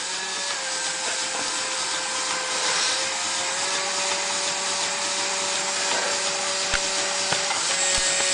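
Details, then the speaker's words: Fischertechnik pneumatic hand arm pivot motor under the arm's heavy load: a steady high motor whine with gritty grinding, then sharp clicks as the gearbox shifts out of mesh again, so the attempted fix did not work. "and as you can hear the gearbox once again shifted out I have to correct it so this turns out to be not a solution in the end"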